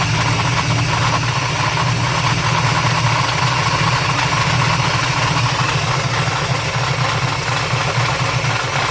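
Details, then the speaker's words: 1993/94 Chevy Silverado Z71 with a swapped 350 crate engine and 4L80E, first start-up: loud idle with a rough, rattly knock throughout; owner blames the flywheel, and timing was advanced; no smoke seen. "yeah I believe this motors good I don't see no smoking nothing all that noise is just from the flywheel"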